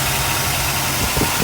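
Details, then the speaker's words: Mercedes 380SL the day after an AC refrigerant recharge, AC off: smooth, even low rumble with no knocks or misses; engine idling cleanly and sounds healthy, normal idle. "so uh let's take a look at this she's running just fine sounds"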